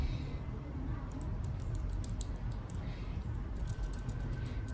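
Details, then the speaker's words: GoPro Hero 7 shaken by hand: light irregular clicking and tapping from the battery door latch, which becomes loose after repeated opening and closing and rattles in its frame; this causes the ticking heard in recordings, not the mount. "Đây này, có thể nhìn thấy cái miếng này nó rơ. Thì cái nguyên nhân của tiếng kêu là nó phát ra từ cái miếng này, cái chốt này nè."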